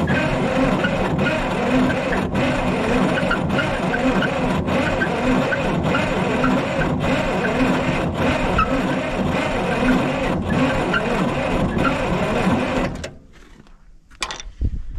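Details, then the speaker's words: Diesel roller compactor sitting about 30 years, cranking steadily with a pop about once a second, firing on only one or two cylinders and never catching; owner suspects it isn't getting enough fuel. "i can hear like it's just kind of giving one of those little pop pop like like like a i can hear it's popping a little bit like it is banging on one or two cylinders it's trying but i don't think it's getting enough fuel"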